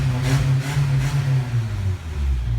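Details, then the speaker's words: 1987 Toyota 4x4 22RE with an Engnbldr Street RV head (larger valves), header and cat, first start: strong, smooth four-cylinder note rising and falling cleanly with each blip, no knocks or ticks; revs healthily, header burning something off. "This thing sounds amazing! Maybe the header helps."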